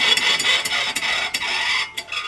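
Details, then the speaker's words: 1995 VW Pointer rear wheel spun by hand: a harsh metallic rasp pulses with each turn because the rear brake shoes came loose and were damaged, dragging inside the drum. "o ranking é a roda fora que vai poder ver o que tinha acontecido e acontece o seguinte as sapatas de freio saíram e estragaram"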